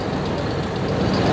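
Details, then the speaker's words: 1996 Ford F250 light-duty petrol pickup, after fixing a severe misfire (P1351, incorrect ignition control module replaced), idles with an even, steady low rumble and no skipped beats just after starting. "well I don't hear it so far you remember from earlier the moment I started cranking it it just had that dead Mist where it seemed like everything missed I don't hear"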